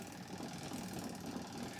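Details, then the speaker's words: Sanken manual twin-tub washing machine, loaded spin dryer: an uneven, thumping rumble as the drum struggles to get up to speed and wobbles, an unbalanced spin start. "Kadang-kadang susah, muternya susah. Jadi gluduk gitu."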